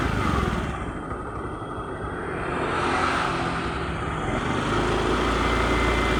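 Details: Honda Beat injection scooter with rough starter: right after starting, the engine hesitates and stumbles on initial throttle, surging with a lumpy, uneven idle instead of settling. Scanner shows no stored or current fault codes.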